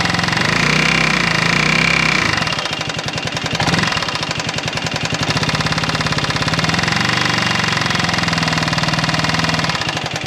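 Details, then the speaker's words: Buggy engine after a rebuild, idling then with throttle: rapid metallic knocking about four a second; source unknown, and with very silvery oil found earlier, the owner suspects the cylinder or piston from a fitting mistake. "hört ihr das oh Mann das hört sich so gar nicht gut an"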